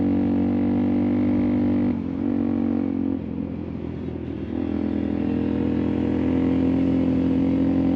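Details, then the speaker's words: TT ridden at altitude in dusty Moab terrain: single-cylinder drone that sags and briefly cuts out, then picks back up; riders first suspected the high altitude for a bike set up for New Mexico, later suspected dust. "You notice that little, almost like the audio just cuts out. Well, that's what the TT was doing."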